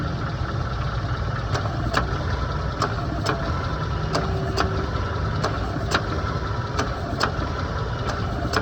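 Engine idles with sharp paired clicks over it, about one pair every 1.3 seconds from the AC compressor. Cause suspected, not confirmed.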